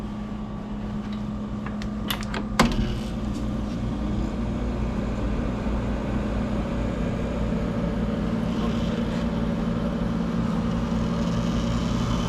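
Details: 1983 Gibson SlumberMaster window casement AC, 40 years old, repainted, first startup after install: a thump as the compressor kicks in, then a steady even hum with the fan whooshing; output air about 50 degrees; healthy running.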